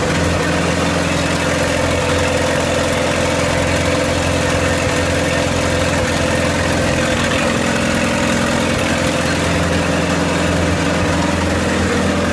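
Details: 1928 Farmall Regular tractor idling after carburetor tweaks, just started with timing advanced about halfway: even, steady low idle with smooth regular beat, no knocks or misses; running well, normal idle.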